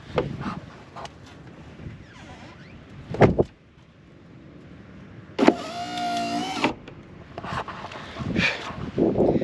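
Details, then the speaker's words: Camping vehicle accessory electric motor tested after crossing over wires and cable-tying a poorly designed installation behind the tyre: short, even whir running smoothly about a second without straining; working good as new. "Now let's test it, and hopefully it does work. Here we go. Ah, sounds good as new."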